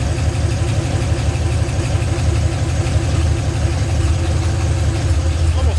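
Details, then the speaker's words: 1982 Ford F-350 with 302 V8, no turbo fitted yet, just reassembled and running loud: deep steady even lope at idle, no knocks or misses; engine sounds healthy, normal idle. "almost yeah engine sounds really good so yeah now it just needs boost"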